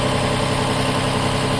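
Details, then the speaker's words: 2007 Toyota Highlander Hybrid, not in maintenance mode, key on and ready: the petrol engine starts with a steady low rumble and even idle, runs briefly, then stops; normal hybrid engine start. "Now you can hear it, the motor is starting. You can see the motor is turning right now."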